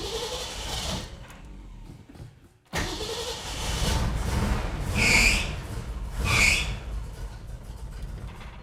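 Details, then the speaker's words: Ford 260 V8 classic in neutral, new Autolite 45 copper plugs: catches and runs unevenly, dips out then stumbles on; likely idle-circuit carburettor problem, accelerator pump, fuel and electronic ignition confirmed working; blocked main air bleed. "that we probably have a carburetor problem on the idle circuit we know that we're getting accelerator pump we know we've got some gasoline in it"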